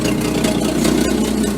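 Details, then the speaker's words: 1961 Chevy Apache 1-ton, open exhaust pipe with a front leak, 120–130 psi compression per cylinder, in neutral: loud ragged idle with raspy uneven puffing; runs well but exhaust leak makes it sound rough, headers planned. "Sounds like barf. Like, it really sounds awful, but I'm hoping those headers are gonna make it a lot better."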